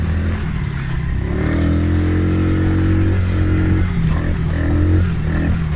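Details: Polaris Outlaw 50cc quad after carb clean and blocked pilot jet cleared (previously overflow leak, no start), choke on lifting revs. Steady even drone rising cleanly with throttle, no stumbling or misses: normal running.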